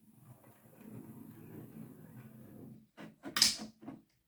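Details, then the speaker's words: Hornby R2959 Thompson L1 2-6-4T model locomotive, used, on test track after greasing the worm gear with lithium grease and gear oil, gearbox cover off: soft even motor buzz, no catching or grinding; runs smoothly. "See, that's sounding okay. That's without the uh gearbox cover on. That sounds okay."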